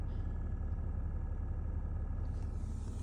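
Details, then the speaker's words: BMW X5 F15 with engine idling, heating and AC working fine: steady whooshing fan roar louder than the engine itself; owner concludes the heater/AC blower motor is noisy and plans to replace it. "So, I have this really annoying fan sound. Uh, the air conditioning or the heating is working perfectly fine. Uh, the only thing is this fan noise."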